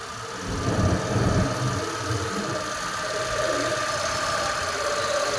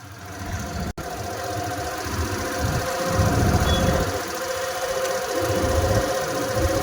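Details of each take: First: Suzuki Access 125 BS6 scooter after fitting an idle-adjustment aluminium body and sensor; engine starts into a fast, busy high idle well above normal tickover, to be lowered by tightening the adjustment screw. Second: Suzuki Access 125 BS6 scooter after idle adjustment screw set and locked nut, started without throttle: low steady putter about four beats a second, no shaking or hunting; smooth, even normal idle.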